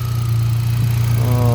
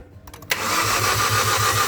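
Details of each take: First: Hyundai Accent gasoline, cranked but wouldn't start until the fuel pump relay was swapped with the horn relay; coil has power: low steady even idle hum, no stumbles or missed beats; firing cleanly, no misfire. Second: 2018 Hyundai Accent gasoline engine cranks but won't start: starter turns strongly at an even crank of about five compressions a second, never catches; battery 12.5 V, fuses intact; faulty fuel pump relay.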